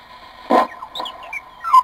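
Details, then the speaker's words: Morgan One Tube Regen regenerative receiver: quiet hiss broken by sudden sliding whistles and chirps as the regeneration control is turned. It goes into regeneration harshly, a problem that worsens at higher frequencies. "notice how you hear that that's a regeneration control and notice how harshly it goes into regeneration"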